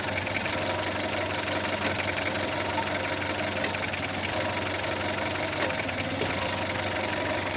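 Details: Audi A2 engine at steady idle with a busy, uneven, arrhythmic rattle; owner suspects an engine mount, not confirmed.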